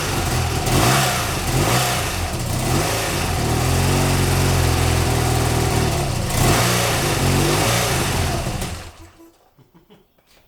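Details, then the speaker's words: BMW R100GS Paris Dakar first start after engine reassembly: twin runs with a lumpy, uneven beat and surging revs, then shuts off. Rough running, suspected carburetor tuning with carbs unsynchronized. "a lot of that's just carb tuning and the fact that i think our carbs are way out of sync because i've done absolutely nothing to make sure that they're at all synchronized"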